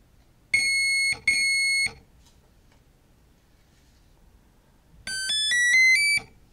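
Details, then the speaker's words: Turnigy Plush ESC in programming mode, entered by powering up with transmitter throttle fully advanced: two long even high beeps, a pause, then a quick five-note rising chirp, part of the menu's long/short, high/low beep sequence. "next you will hear a series of beeps some beeps are long and some are short some have high pitch and some are low"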